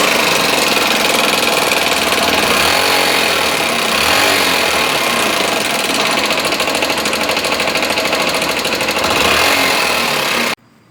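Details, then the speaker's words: Small single-cylinder motorcycle idling, not smoking: loud sharp clatter from the top end; suspected rocker arm, camshaft or bearing from lack of lubrication, valve cover removed for inspection. "né e Funcionando aqui a moto dá para ouvir o barulho realmente na parte de cima balancim e comando rolamento e eu vou ligar aqui para vocês ver certo"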